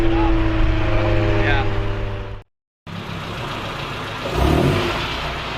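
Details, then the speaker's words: Honda CRX with eBay Spec-D catback, before the Vibrant swap: loud, deep, steady drone with strong low tones at idle and light revs. It sounds like the muffler has no packing inside. "By the sound of it, it sounds like there's no packing inside of it. So we're gonna go ahead and cut it open real quick just to re-verify."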